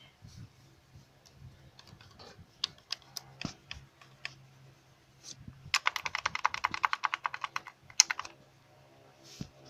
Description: D4Cb engine- cause of the rattle of one of the timing chains. After replacing the outer t-chain the rattle was gone.